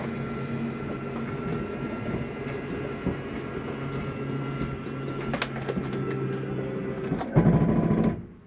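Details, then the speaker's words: 2010 Keystone Outback 268RL travel trailer with its slide-out retracting. The motor whirs steadily, then gives a louder brief ratcheting burst at the stop; a normal signal that the slide is fully in. "at the end you're going to hear that noise that's just a slide mechanism telling you it's all the way in don't turn me on anymore"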